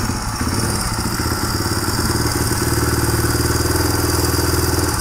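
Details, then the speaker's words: 1997 Suzuki DR350 single, warming up and just taken off choke: idle beat wandering and sagging as if about to slow and die, as it usually does; unstable idle, owner suspects camshaft timing one tooth off, cam chain, CDI or vacuum leak. "usually about this time it starts to slow down and eventually quit might be hanging in there though"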